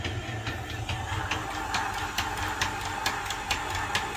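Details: 1998 Dodge Intrepid 2.7, sat nine years and was using oil: slow, uneven cranking at about two beats per second with no catch or pickup. It turns over but never fires; owner suspects a broken timing belt or chain. Cranks but won't start.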